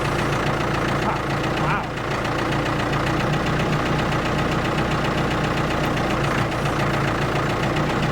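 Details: Ford 655A backhoe diesel at settled speed, steady even chug with no knocks or misses; abandoned machine revived, engine sounds good with basically no blow-by, normal running.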